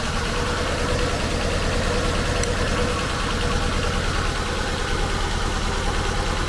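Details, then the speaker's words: Ford Fusion with deer damage at a salvage auction: a rough, uneven idle stumbling about twice a second, a misfire suspected from a bad coil, after which it smoothed out. "oh it's misfiring why is it misfire it has deer damage but it's not running right"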